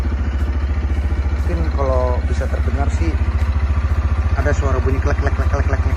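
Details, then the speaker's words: CF Moto Papio XO-1 single-cylinder minibike idling once the engine has warmed up, light irregular metallic ticking over a steady idle, normal when cold; owner unsure of the source. "Tapi ketika lu bawa jalan atau misalnya lu lu udah posisi e mesinnya ini sudah mulai panas ini akan terdengar suara-suara yang agak sedikit aneh dan kadang sedikit mengganggu gitu"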